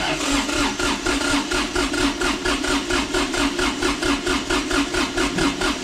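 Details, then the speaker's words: Kubota D905 diesel in a Lincoln Ranger 300 welder, warmed up, cranking for a compression test with the fuel shut off by a zip-tied stop lever: an even chug of about four strong beats per second. Cylinder 1 reads about 370–380, which is good compression. "cranks would you look at that we are about 370 380 is cylinder 1"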